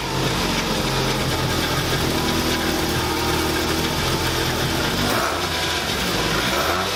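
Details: Scion tC with newly installed replacement engine, first start (threads on a rusted fitting chewed up on reinstall): catches and settles into a steady idle with a light rev, no knocks, ticks or rattles; normal start and idle, healthy.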